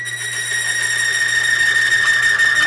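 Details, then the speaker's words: Grease on a lubricity test machine at about 40–45 lb load: a sustained high squeal with rough chatter as the load builds. The lubricant film breaks down, causing galling, and the parts bind up. "so at that point now i've had chatter i'm getting galling and it actually bound up at that 40 45 pounds of pressure"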